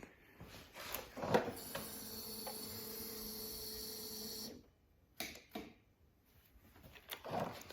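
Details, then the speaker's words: 2009-2014 Yamaha R1 crossplane with new starter relay, solenoid and lithium battery: single loud relay clack each button press with no cranking; starter not turning, owner suspects internal starter damage, not confirmed. "so you can hear that relay clicking it's a pretty loud clack I think it's trying to turn that starter over but it's just not doing it"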